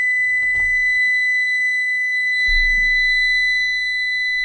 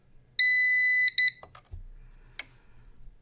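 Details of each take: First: CyberPower 625VA UPS, suspected bad, running a roughly 66 W lamp on battery after mains is unplugged: a steady, piercing high alarm that only stops when the button is held, while the unit keeps drawing power. Continuous alarm from a failed battery. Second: CyberPower 625VA UPS, supposedly bad, powered on: one long high beep, a short second beep, then a couple of soft relay clicks, likely a battery self-test; battery reads 12.75 V and the unit seems to judge it good. Normal startup.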